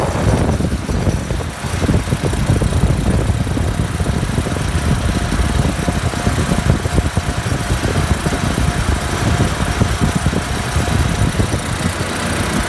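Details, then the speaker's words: Refrigeration compressor with heavy, uneven low rumble and rough shuddering pulse; net oil pressure only about 20 psi versus the usual 30–40, though Coresense reads good pressure; headmaster suspected of not bypassing the condenser coil, cause still under investigation. "Looks like I've only got about 20 psi net oil pressure I'm used to seeing 30 or 40 on these compressors"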